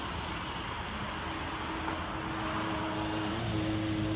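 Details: 2014 Ford F-150 while driving: a thin steady whine over road and engine noise, climbing slightly near the end; owner attributes it to the transmission. Not confirmed.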